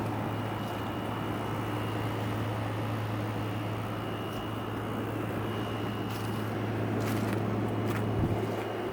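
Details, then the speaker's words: Arctic King air conditioner, refurbished with power-washed fins: constant low hum with a faint steady whine, no knock or rattle, as the compressor runs smoothly under fan noise and blows cold. "Wow. You hear the compressor running. Turn the fan up."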